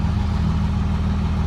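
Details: 2007 Ram 5.9 Cummins diesel after cleaning the battery terminal and cable that caused hard starts dying after three seconds: low, even rumble, steady with no misses or knocks; starts right up and idles smoothly and healthily.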